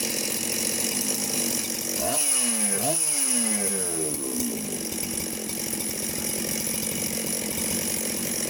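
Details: Chainsaw just reassembled on the bench with gasket fitted: crisp two-stroke snarl rising cleanly through two quick blips and settling to a steady even idle, running as it should.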